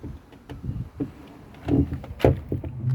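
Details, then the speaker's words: Car door creaking and squeaking in short, low-pitched bursts as it is swung open and shut, before being treated with a waxy plastic dashboard polish. "Слышите, какой скрип?"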